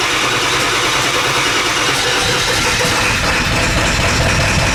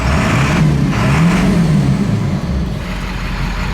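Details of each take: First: Ford F250 7.3 Powerstroke diesel, straight pipes, first test drive after high-pressure oil system work: rough, uneven drone under way, stumbling beat as if cylinders aren't firing; bleeding air didn't help. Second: Ford F250 7.3 Powerstroke diesel, after correcting an injector harness plugged to the wrong side (owner thinks it ran on four cylinders before): steady, even clatter with smooth low rumble, no misses; running smooth, normal.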